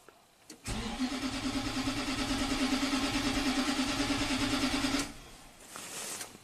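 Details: 2009 Nissan Titan V8 with 130k miles, a crank-no-start when cold after a limp-home incident and battery replacement. The starter spins the engine at an even pace for about four seconds without firing; TPS reads 0.8 V and ECM communication may drop while cranking.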